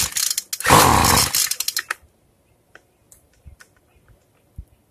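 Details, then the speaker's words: Hard starting on a free two-stroke weedeater during carburetor adjustment: the fuel screw (lefty-tighty) is closed little by little; the engine catches about 1.5 seconds, roars briefly, then dies. "And right now I'm just closing it little by little till I can get it fired up."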